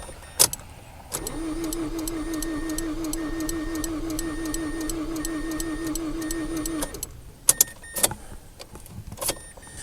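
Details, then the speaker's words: 2005 Mazda6 2.3 junkyard car after codes cleared and fuel pump primed: starter cranks evenly with steady compression beats for about six seconds but never fires; injectors get no fuel because their fuse is blown. "what are we missing here what do you think it's not starting it's cranking what are we missing"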